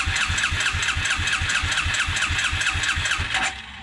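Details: 1996 Suzuki King Quad 300 4x4 ATV: starter spins at a steady two-plus beats a second and it never fires; petcock works, no-start traced to a missing carburetor main jet.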